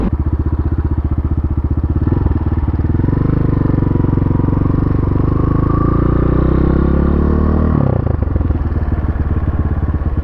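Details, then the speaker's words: Pitsterpro XTR250 single-cylinder motorcycle, bogging in first gear, pulled into a parking lot: uneven firing that wavers and sags; rough running, owner suspects carburetor needs work or old fuel. "it's like stumbling a bit in the uh the carburetor wow that sounds terrible"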